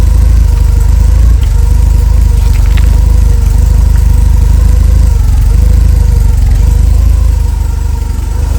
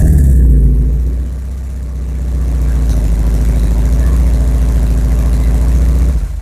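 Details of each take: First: A Porsche 944 with its entire exhaust system replaced, held temporarily by a ratchet strap, gives a loud, deep, even idle rumble with no ticking or puffing; a normal, leak-free exhaust note. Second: Porsche 944 before exhaust replacement, exhaust held together with paste, stick-welded headers, bolts backing out: loud, deep, uneven burbling idle with wet, flatulent pulses and heavy low rumble from a badly leaking exhaust.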